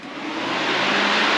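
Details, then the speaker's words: Turbo Silverado drag-and-drive build, wiring nearly finished, fans switched on one then the second: smooth even rush of air building within a second and holding steady, both electric cooling fans running normally. "for instance we go over here and we hit on that's one fan and then if we come over here and turn the second van"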